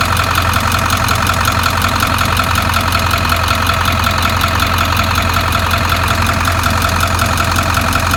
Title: 7.3 Ticking noise